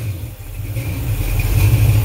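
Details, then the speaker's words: Small block Chevy 350 (355 ci, forged flattop pistons, 9:1, mild Comp cam, headers) on run stand; revs climb smoothly, quick even snappy response, no knocks or misses — normal revving. "responsive runs great very snappy yeah let me know if you want it"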